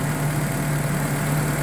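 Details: Perodua Kembara started with key on via a wire connected direct from the starter solenoid, fuel pump also wired direct: steady, even low idle hum, no knocks, misses or hunting; runs smoothly.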